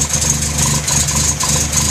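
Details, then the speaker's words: 1973 Datsun 610, just after a cold start: a steady, fairly quick idle with an even beat and no knocks or misses, expected to settle once warm; normal cold fast idle. "Idle should settle in once it gets warmed up."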